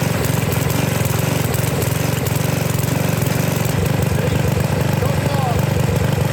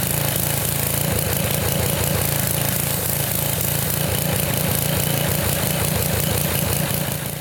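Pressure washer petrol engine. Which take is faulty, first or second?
first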